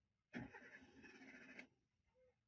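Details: Beat petrol car with a long-cranking start problem, battery and starter OK; scan found a camshaft sensor fault: about a second of steady starter cranking, the engine never catches and falls silent.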